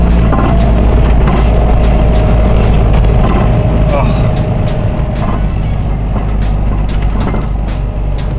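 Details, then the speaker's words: MK5 Jetta TDI on a short drive: uneven metallic clunks over road rumble as the front shock mount, its bolt come loose, smashes into the strut barrel. "That's the shock mount smashing into the barrel. Smashing right into the barrel, but I only left the development."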